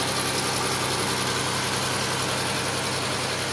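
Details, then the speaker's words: 2005 Chevy Equinox after an upper engine rebuild with the heads pulled because of a broken spark plug; the alternator is not fully charging. A steady even idle with a light airy hiss and no tapping, skipping or roughness: normal idle. "And as you can hear, the motor's running pretty damn good, man."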